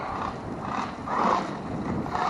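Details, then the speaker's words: Traxxas Rustler 2WD RC truck on 2S: short gritty grinding and clicking bursts as it moves, rear end locking and sliding; stripped transmission gears, upgrade to mod1 transmission planned. "You all heard that grinding, clicking sound. I wanted you guys to hear that. That definitely lets you know."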